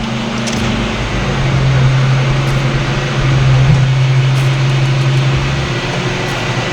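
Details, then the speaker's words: 1995 Mazda Miata, battery flat and charged: heavy, laboring starter draw with an uneven chug, engine not catching. Slow cranking; starter suspected bad after a big spark was seen off it, not confirmed. "yep hear how much amperage draw that starter's bad"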